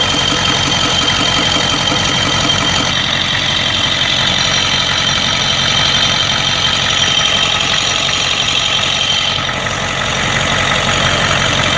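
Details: 1992 Ford 7.3 IDI diesel idling rough with random misfire, irregular stumbles and injector-like knock over hissy blowby chuff; teardown found second piston ring broken in half on two pistons plus one bad valve guide.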